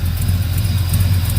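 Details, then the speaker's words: 1971 Chevrolet El Camino V8, cold start after long sitting: deep lumpy idle with faint sharp puffs ticking with the firing, an exhaust leak from the header gasket at the back of the head; header to be pulled. "i know i did just crank it though got a little exhaust stick i'm gonna pull this header off"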